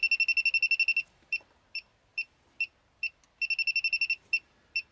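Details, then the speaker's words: Elitetech WJL-6000 refrigerant leak detector at maximum sensitivity, probe at an open automotive A/C low-side charging port: shrill high beeps in quick bursts between slower single chirps as the detector senses refrigerant. "and that's pretty much exactly how this works there's uh you know obviously that's a that's an an obvious leak"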